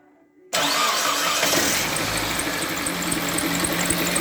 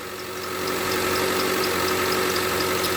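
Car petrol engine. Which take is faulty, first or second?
first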